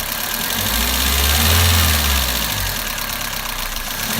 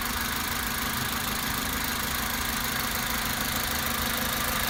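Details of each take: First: Toyota Avensis 1.8 at idle, noise under valve cover: fast light ticking about three per second from top end; exhaust valve clearances found enlarged, 0.60 and 0.40 mm; fixed by adjusting with thicker tappets. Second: Toyota Avensis 1.8 at idle after adjusting enlarged exhaust valve clearances (0.60 and 0.40 mm) with thicker tappets: steady even idle, smooth hum, top-end ticking much quieter, practically gone.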